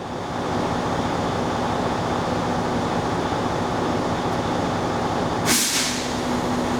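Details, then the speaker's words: CDL pre-trip check on a truck, air tanks filling as the compressor builds pressure; a steady compressor drone, then a sharp whoosh of air as the governor cuts the compressor out at about 125 psi; normal air governor cut-out purge. "In other words, the tanks are full, and you're going to hear that common whoosh of air as the air compressor shuts off, and that's going to happen at about 125 psi."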